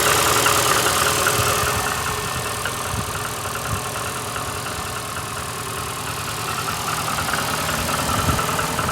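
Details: VAZ 2115 8-valve, cold idle: lumpy misfire with a ticking knock about three per second. Began after cylinder-1 head gasket failure and antifreeze and Lukoil 5W40 oil change; sound changes to rubbing when warm, check-engine light on. Cause unconfirmed.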